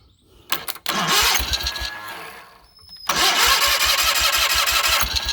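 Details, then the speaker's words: Cub Cadet 1812 18hp Kohler Magnum engine, out of the tractor, after an ignition coil replacement with the throttle cable disconnected: catches after a brief false start, then a steady, even beat with no misses. It runs and sounds healthy. "It runs. Sounds healthy."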